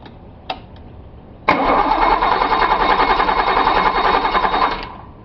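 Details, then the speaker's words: Datsun 280Z L28 engine, cold early morning, after swapping in a different injector to cure a misfire: steady chug cranking about three seconds without catching; hard cold start, runs much smoother once started. "Oh, here we go again. Why am I having issues with this cold start?"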